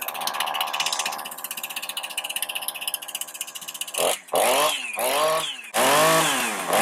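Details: Husqvarna 455 Rancher chainsaw with about 4 hours total runtime, cold start on half choke with spark tester fitted: even two-stroke buzz at fast idle, then clean revs climbing and falling without stumbling; spark keeps up cold, though it cuts out about 5 minutes in.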